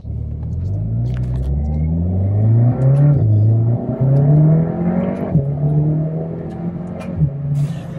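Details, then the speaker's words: Mk7.5 VW Golf R after IE high pressure fuel pump internals upgrade and new tune: test-drive pull through two or three gears with strong, even pull and steadily rising engine note, no misses or stumbles; runs smooth. "It moves. Yeah, everything is fine. So, it definitely I mean it feels smooth."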